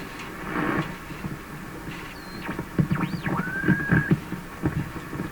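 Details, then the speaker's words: 1940s Canadian Red Cross tube radio after four capacitors replaced, at 85–90 volts: hum, weak warbling reception with low throbbing pulse and whistles sweeping the dial. "okay I can hear a hum 85 volts let's just put it up a little higher 90 volts but put at 90 volts lots of weird stuff going on here it it is sort of receiving not very"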